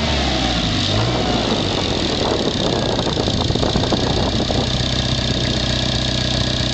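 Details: Petrol engine, stock except for an added turbo, idling: busy, fast metallic rattle over the steady low hum, never heard before or when stock, began after a few runs in boost; owner asks if it is a bad valve, cause unconfirmed.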